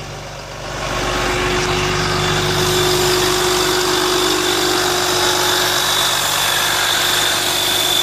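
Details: VMAC VR70 under-hood air compressor on a truck, feeding a rear hose reel: steady engine hum with a smooth constant whirr on top, no knocks or squeals; normal compressor operation.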